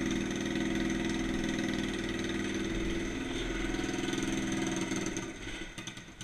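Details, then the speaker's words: Yerf Dog 150cc shifter kart on its first test drive: small engine idling with an uneven, hunting beat that sags and stumbles as it dies away. The engine is running lean. "let's take this thing for a test drive so so so foreign you can really hear how it's running lean foreign"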